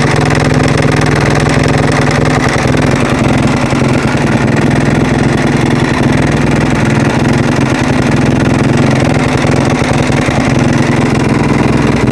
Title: husaberg - strange noise